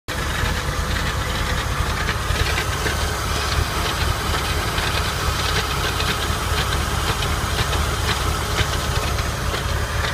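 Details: 1999 Porsche 996 recorded under the car directly below the engine and transmission: dense low rumble with a busy, irregular metallic rattle running through it; rattle from under the car.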